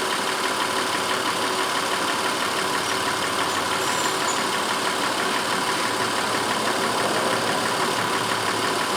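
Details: 2004 Honda Pilot 3.5 V6 after the cylinder 4 misfire was traced: steady, even idle with no skips or stumbles, runs smooth as glass while being checked for the problem to recur.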